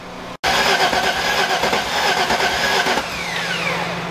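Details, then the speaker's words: Engine just rebuilt with timing corrected cranks strongly for a few seconds but never fires, sounding like it lacks compression; owner suspects valves bent on the first start attempts, to be confirmed with a compression test. "It's trying to build it, and it's just not there. I think maybe couple vent valves."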